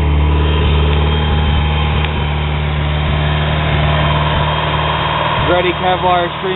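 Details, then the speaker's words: Rebuilt 440 awhp 1G Eagle Talon TSi DSM (160 psi compression on all cylinders), just after a cold start. It holds a steady, slightly lumpy fast idle just over 2000 rpm in open loop, slightly rich while EGTs and water temperature rise, with no knocks or ticks: normal. "So she'll fire right up, no problem. Right now we're a little over 2 grand. She's in open loop. EGTs are coming up. Water temp will be shortly behind it. A little rich as you expect on startup."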